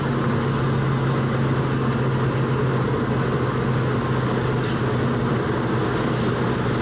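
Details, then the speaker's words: 1966 Ford Mustang on the road at casual speed: steady low hum around 130 Hz over road and engine rumble, getting louder as it warms; rear differential whine. "by you can really hear the differential getting louder and louder as warmer it gets"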